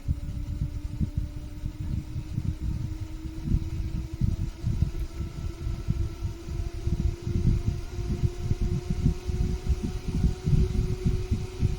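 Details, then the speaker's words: 24 V fan, run at 12 V low power, drawing well under its rated 0.1 A: steady hum slowly rising in pitch as it speeds up, no rubbing or rattle, running fine. "This is a 24 volt, so we are giving it low power, running as a champ."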